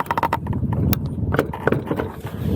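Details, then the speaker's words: Mantis King GT electric scooter after about 500 miles: dull hollow clunks as the rear is rocked, from gaps in the suspension spacers; tightening the bolts doesn't cure the looseness, front similar. Suspension play knock. "There's a looseness to the suspension, right? And you can go through and tighten all these bolts up all you want, and it's not going to get any better."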